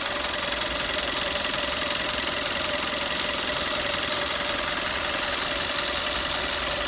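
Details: 2011 VW Golf VI Style 1.4 TSI 90 kW/122 PS at warm idle: thin, steady high-pitched whistle over engine hiss, constant pitch, heard only around the water pump in the engine bay; cause not confirmed.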